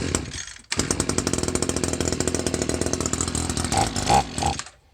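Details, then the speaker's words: Free Echo SRM 210 trimmer with a new carburetor, after an air bubble was cleared from the carburetor; fires and revs cleanly with a crisp, even two-stroke buzz and throttle blips, then shuts off; runs like new. "guys she runs like new just had to get an air bubble out of that uh out of that carburetor but you hear that she runs like a dream"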